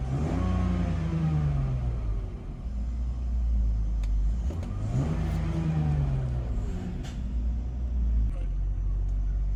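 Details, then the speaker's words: 2000 BMW 328Ci after reseating a loose air hose that caused a leak and stalling: a low engine note sagging and swelling every few seconds. It holds rpm but the idle is slightly rough; spark plugs to be checked next. Rough idle. "Looks like it's running now. Holding its RPMs. Maybe a little rough."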